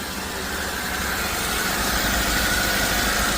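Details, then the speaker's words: Toyota Avanza started after five years sitting, stuck throttle body freed: steady, even idle with smooth low hum, no knocks or misses; sounds like original, healthy. "Oh ganda ng menor. Ganda ng menor. Ganda ng menor. Parang original."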